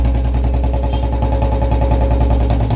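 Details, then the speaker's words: Royal Enfield Standard BS6 at 13,529 km, stood for 2–3 months and with a broken kick spring. A single-cylinder idle thumping about twice a second with irregular clattery ticking on top: abnormal mechanical noise, cause not yet found. "यह है royal फी की standard इसमें आवाजें आ रही है गाड़ी है bs6"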